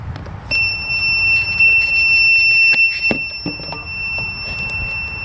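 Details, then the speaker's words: Troy-Bilt Pony riding tractor, long unused, no start: jump pack emits rapid high-pitched warning beeps, nearly three a second, while trying to start; the jump pack is likely drained. "maybe that's telling me it's dead yep maybe it's dead I don't know not used to it beeping like [Music] that"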